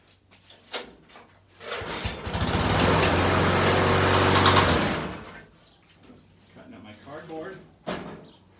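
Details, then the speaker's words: Lawnmower small engine after repair, with fresh gas added; the oil is to be changed after. It catches, runs at a steady even drone for a few seconds, then stops; it runs. "but it does appear to run so there we have it"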